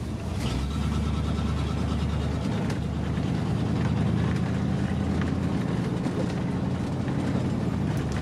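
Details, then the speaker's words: OBS Chevy 1500 pickup on test drive after transmission replacement (old one blew up pulling car hauler), fluid low: steady low engine drone dropping smoothly in pitch as gear changes, no slip, flare or clunk; shifts normally. "oh it's just like butter you're just gonna have to believe me guys and listen to it"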